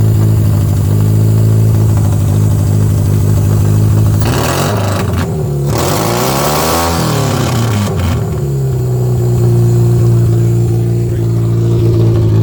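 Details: Toyota Camry demolition-derby car after a replacement plug wire, gas tank tipped so fuel sits at the front: engine revs up and down with a slightly ragged, uneven note, hinting at a light misfire under throttle, though it now runs much better. Cause suspected, not confirmed.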